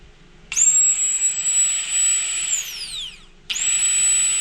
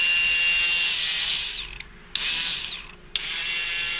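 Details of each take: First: Old fuel pump removed from a Ford Fox-body Mustang after a problem at the track and on the dyno, run on the bench. A high whine that sags, cuts out and restarts; it sounds tired and slow. Brushes suspected worn. Replaced with a DW pump. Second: Old Aeromotive 340 LPH fuel pump from the shelf, bench-run for a Fox-body Mustang fuel system: high, steady electric whine near 8 kHz in short runs; a healthy, strong pump, unlike the weaker original.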